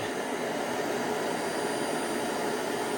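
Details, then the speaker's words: Clean Obsessed CO203 dual-motor upright commercial vacuum running on suction alone, before the brush roll is engaged: steady high-pitched rushing whir with a constant tone, no surging, rattling or scraping; relatively quiet for its power, running normally. "first I'm going to show you what it sounds like just with uh the suction alone. That's actually not bad."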